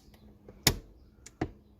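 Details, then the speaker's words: Honda Accord handbrake ratchet giving about five crisp clicks as the lever is pulled up after cable adjustment; normal engagement, not adjusted too tight. "you don't want to go too tight you want to make sure you have those clicks in there"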